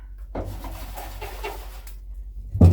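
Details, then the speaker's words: Old fuel tank removed and tipped: gritty, loose rattle and scrape, then a heavy thump, from rust and dirt loose inside the tank. "that doesn't sound good but you can hear that in there that's dirt rusted up"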